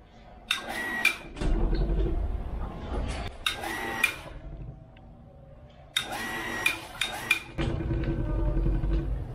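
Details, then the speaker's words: Water pump hum broken by bursts of rattling and sharp knocks in the house water pipe when a tap is closed and flow stops abruptly: water hammer, heard even louder near the pipe up above. "jadi apa sih yang terjadi itu tadi yang terjadi sebetulnya adalah disebut water Hammer ring"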